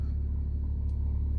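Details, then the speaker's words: 2006 BMW 325xi E90 N52 after misfire fix (ECU, crankshaft sensor previously replaced), scan tool smooth-running values steady: smooth, even low rumble with no stumble; all cylinders firing, normal idle. "the fluctuation look very very smooth while the car is running"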